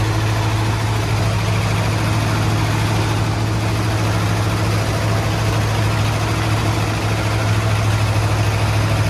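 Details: 1972 Ford F-100 XLT Ranger V8, first start after sitting 15 years, with coil bypassed and jump box: deep, steady rumble with slightly uneven beat; fires and holds a rough but sustained idle.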